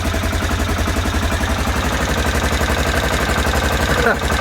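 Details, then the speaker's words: Aprilia Pegaso cube after carb cleaning and new carb inlet rubbers, warmed up with choke off: even single-cylinder thump at a steady slow idle, about four beats a second, no misses; running normally. "so it sounds pretty good sounds like it runs as it should I'm quite happy with that"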